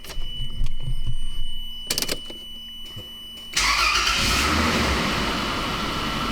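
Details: 1993 Toyota Land Cruiser 80 after new water pump, fan clutch and removal of alarm starter-kill relay: a few quiet knocks, then immediate catch and even, steady idle with no misses; healthy start, no leaks.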